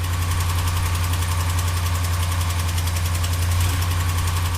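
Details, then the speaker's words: 5.7L HEMI V8 (Dodge/Ram truck) idling with a sharp, even ticking nearly four a second: exhaust manifold leak, typically after towing on warm days, as a broken exhaust stud lets gases escape between cylinder head and manifold, warping it; fix is replacing manifold and studs. "What happens is the exhaust stud breaks and allows the exhaust gases to pass out between the cylinder head and the exhaust manifold. This then causes the exhaust manifold to warp, leading to this continuous ticking noise."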